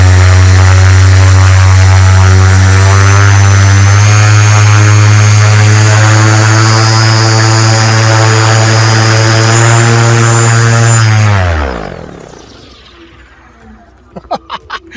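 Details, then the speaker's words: SP140 electric paramotor, another thrust run with a 205 lb pilot leaning back: strong, steady propeller drone and motor hum held level, then a smooth wind-down when the throttle is cut. Very strong thrust, running normally. "wow that is absolutely crazy"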